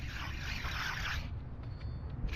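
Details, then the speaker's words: 2018 Nissan Frontier, removed wheel hub spun by hand: a gritty, dry rasp that dies away as it slows, with the bearing found completely dry; worn, rough wheel bearing, replaced with a new hub. "This is all dry. Wow. I'm gonna try to clean all of this up, grease this, and yeah, this hub. Just listen to that, guys."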